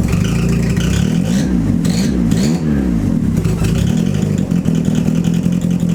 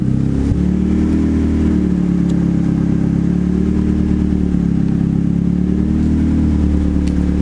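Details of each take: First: Turbo Mazda Miata restarted after the MAP sensor vacuum line was left unhooked, while checking a vacuum leak; revs surge and sag unevenly when blipped instead of settling, rough running from the disconnected MAP line. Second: Turbo Mazda Miata idling after the MAP sensor vacuum line was reconnected; steady, even hum without hunting while the ECU auto-tunes at idle, which was later fixed by adding idle fuel in the VE table. Normal idle.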